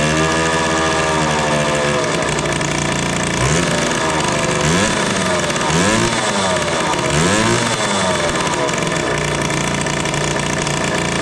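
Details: 1974 Indian ME100 barn-find motorcycle running again after sitting, with the spark plug used as the kill switch: a small single buzzing at a fairly high, steady idle with a few blips. It idles too high.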